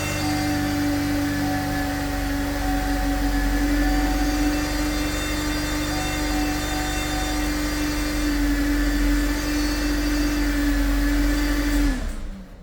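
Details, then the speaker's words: 2011 Saab 9-5 turbo, 94,579 miles: constant high whistling turbo whine over the idle, cutting out at shutdown, masking timing chain slap from failed tensioners; turbo needs rebuilding or replacing. "well the whining from the turbo covers up the sound I was wanting you guys to hear"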